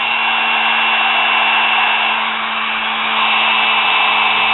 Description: Fixing and cleaning brushes in sewing machine motor After running for awhile the brushes seated better and sparked Less Also a small amount of Sparks are normal same as in a drill Etc . It should not be more than what it looked like when I was done